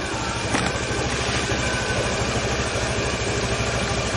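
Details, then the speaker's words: Honda Scoopy scooter after repair of starter that spun without engaging: steady even low putter at idle, no knocks or grinding; starts and runs normally. "Syukurlah motornya sudah bisa jalan lagi, dan starternya berfungsi dengan baik."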